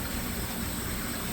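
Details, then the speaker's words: Brand-new Manitowoc ice machine, one side not harvesting and no errors stored: steady rushing hiss over a low hum; the tech judges by the hiss that the cool vapor valve is restricted, pending service gauges to confirm. "so this side's not harvesting now I can tell that it sounds like the cool Vapor valve over here is got a restriction in it cuz the way it's hissing so we've got a restricted cool Vapor valve"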